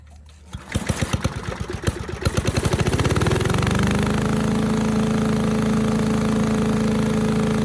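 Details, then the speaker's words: 1984 MTD Air Sweeper, Briggs & Stratton 5 hp flathead (model 130212-1731-01), loose plug wire tightened, starts on first pull: uneven puffs, then a steady even drone with no knocking; runs fine, though high speed may be slightly slow. "It ran at full speed just fine, idled down, sounded really nice, better than most newer engines actually."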